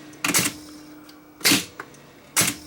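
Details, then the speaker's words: Sony TC730 reel-to-reel after repair for slow speed, no recording and a failed auto stop: three sharp mechanical clacks about a second apart over a faint steady hum. The auto stop is now tripping as it should in the final test. "we'll just test to make sure that the Auto Stop Works before putting the back on it"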